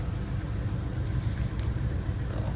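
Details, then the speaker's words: 1978 GMC Diplomat Class C motorhome petrol engine after dual fuel tank toggle switch short repair, on right tank, switched from high idle: low even rumble without stumbles; normal idle, repair appears to hold. "Get out of high idle. Now it's normal idle. And back into high idle."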